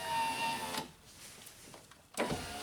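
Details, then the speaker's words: Failing power window regulator, key on: motor whirs briefly then a sharp metallic hammer tap, and the window starts working only after being struck, confirming a bad regulator. "We know we got a bad regulator. One of the oldest mechanic tricks in the book."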